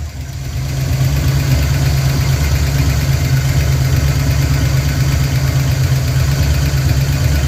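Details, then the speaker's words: 1988 Ford Mustang GT V8, first start since 1999: rough idle with a loose, uneven clattery rattle over the rumble, some smoke; rockers suspected misadjusted. "We had some rattling that sounds like it's the rockers misadjusted."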